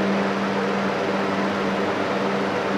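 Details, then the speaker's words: Arduino-controlled DIY shop air cleaner with a three-speed Galaxy-brand fan switched by relays, set to high speed after low: smooth, steady hum with an even airy rush, no wobble, rattle or rubbing; normal fan running on high speed. "I'll press the up which would be high-speed and there goes [Music] that sounds perfect"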